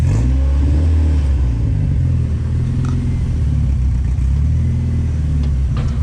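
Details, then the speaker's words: Sand limo cruiser: low rumble with uneven, lumpy beat and stumbles under light revving, like one cylinder dropping out; owner suspects a stuck injector. "sounded like it was dead on a hole it might be a stuck injector"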